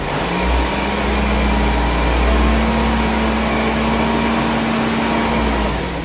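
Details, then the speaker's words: 1991 BMW E30 318is, M42 engine, about 200,000 miles, first start after replacing timing chain guides with M44 style, cooling system being bled: after a bad-sounding start, settles to steady even hum, no knock or chain rattle; normal running. "That sounded pretty bad. But, it sounds good now, so We continue to bleed the cooling system out."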